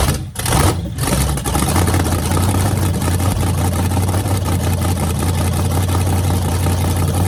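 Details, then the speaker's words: Freshly rebuilt small-block Chevy 350 on homemade run stand with headers: deep steady V8 rumble, even loping idle, no knocks or ticks; healthy running. "and this thing sounds mean as can be so I'm just excited to uh be able to let you guys hear it"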